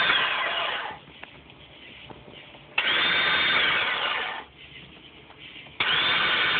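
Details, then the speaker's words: 1999 Sea-Doo GTX Limited with a fully charged battery: each start press gives a high whirring spin of a second or two with no cranking beat; owner suspects the starter Bendix is not engaging the flywheel and is spinning freely. "having problem starting it sounds like the starter is engaging but the bendex is not engaging the fly whe and it's spinning freely"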